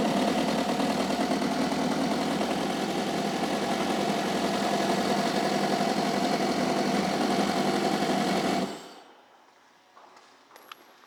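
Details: 2008 Kawasaki STX 15F four-stroke jet ski, freshwater, 480 hours, starts and runs at a fast idle with a slightly lopsided, uneven beat before shutting off; one cylinder has low compression.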